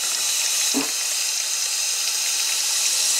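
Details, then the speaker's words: 6.0 Powerstroke diesel, air test of the high-pressure oil system with the driver valve cover off: a steady sharp hiss with brief low gurgles near the rear injector; a suspected leak, cause unconfirmed, standpipe and O-ring looked fine. "it sounds like it's leaking back here you hear it gurgling"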